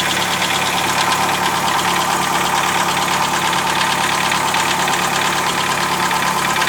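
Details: 2007 Chevrolet Celta with Flex Power engine at steady idle: a bright, fast ticking rattle rides over the engine and does not settle; abnormal idle noise, cause unknown.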